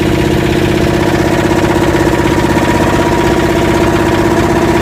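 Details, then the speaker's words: Yanmar SB12 marine diesel after fuel line repair and bleeding, run about 40 minutes continuously and put in gear a few times: steady, strong idle with an even beat, no hunting or misfire; described as constant and strong. "Well, the engine's been running about 40 minutes now, continuously. I put it in gear a few times. Sounds pretty constant and strong."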